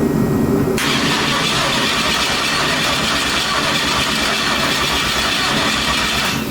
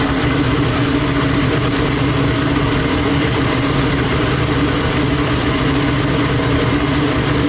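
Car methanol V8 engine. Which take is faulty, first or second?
first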